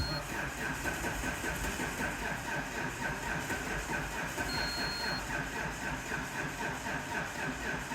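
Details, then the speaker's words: Diesel car with a flat battery on a jump pack after two glow-plug cycles. A steady starter churn of about four beats per second goes on without catching. A hard start; the owner suspects worn swirl flaps, not confirmed. "2 cycles because it is not a good starter at all. Let's see how well it does now."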